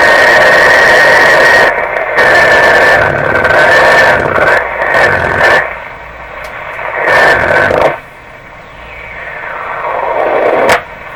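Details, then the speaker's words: Philco 38-C7 tube radio on the broadcast band, still not aligned: a steady high whistle rides over the hiss and shifts with the dial, dropping away between stations. Spurious oscillation. Ungrounded metal tube shells are suspected, not confirmed, and the alignment may also cure it. "lots of volume still got something going on down here so this might go away at the completion of the alignment"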